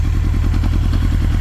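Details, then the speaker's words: 1996 Honda CBR900RR Fireblade cold start, idling on choke: fast, steady low throb with even pulses, no knocks or rattles; healthy cold engine warming, idle expected to rise when warm. "what's gonna happen when this bike warms up is uh you're gonna see the RPM gauge go up a little bit you're gonna hear it start to idle up a little bit and at that point you can just kill the joke and you're you're good to start riding"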